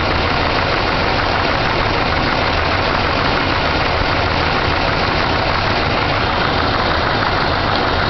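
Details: 454 big-block V8 idling roughly with a repeated knock beating under loud dense engine noise; owner unsure what type of knock it is.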